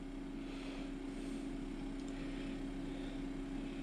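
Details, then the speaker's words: 12V DC refrigerator/freezer cooler on a LiFePO4 lithium battery via a 12V 14AWG DC plug adaptor, about 5 minutes in. Steady low hum with a constant mid tone, no knocks or rattles; normal compressor running. Readings: 13.3 V, 2.5 A, 31.9 W, 1% used. "I'll fire it up. You can hear the refrigerator motor kick in. Alright, it's been running for about 5 minutes."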